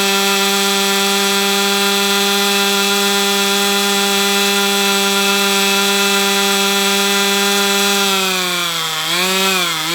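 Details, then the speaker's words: Brat 28 model glow engine, needle randomly set, same prop, glow plug sealing ring leak fixed: a high, steady scream reaching 12,000 rpm, then the note sags and wobbles as it tries to die. Cause unknown. "Okay, so hey, it hit 12,000 RPM. That's a plus. Um why it still wants to shut down like that, I don't know."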